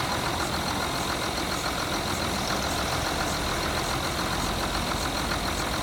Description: Flexi pipes now repaired but misfire continues when cold.